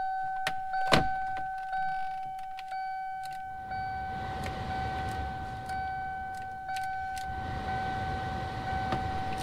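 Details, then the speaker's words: Car heater blower running after repair of fused main power feed with new 40 amp fuse, key on: steady mid-pitched motor hum with building airflow rush; heat restored. Normal blower operation. "we have heat once again in the old bubbles"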